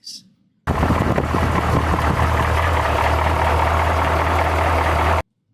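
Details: 1972 Chevrolet C20 with rebuilt 383 V8 that lacks power; deep steady drone at idle with rough uneven clatter, long-unresolved source unknown; engine clatter.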